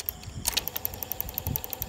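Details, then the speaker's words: Sharp GF-700Z cassette deck under repair: one side winds fine, the other clunks with fast regular clicking and heavier clunks about six a second; play also judders, mechanism and circuit board to be checked. "Đấy, nghe tiếng nó còn lọc cọc chưa? Rồi con này nó lỗi phần kể cả phần play nhé."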